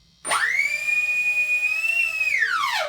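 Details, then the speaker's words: E-Flite Convergence plug-and-play with Lemon six-channel receiver, in airplane mode, motors briefly spooled up: clean high whine rises, holds steady, winds smoothly down without rattle or roughness; normal motor spool-up, servo chatter gone. "everything's fine that looks how it should be I'm going to go ahead and uh spool up my Motors a little bit"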